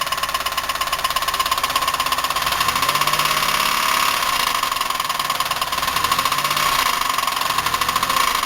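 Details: 1990 Buick LeSabre 3800, unknown mileage, idling after ignition pack replacement, smoking, running rich: loud rapid metallic knocking rattle; heavy internal knock, bearings, lifter or rod suspected, unconfirmed.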